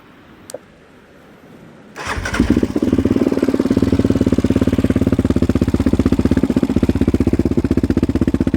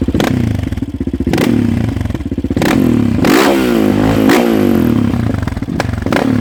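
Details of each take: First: 2016 Yamaha Raptor 700 SE single with 11.1 compression piston and Hot Cam stage 3, idling, phone mic right next to the engine, exaggerating it: quick, even sewing-machine valve tick over the thump; normal valve noise, checked by the owner and others. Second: 2016 Yamaha Raptor 700 SE single with 11.1 compression piston and Hot Cam stage 3, exhaust during throttle stabs: loud, popping revs, one blip stuttering before picking up; it is running a little rich and needs more auto-tuning.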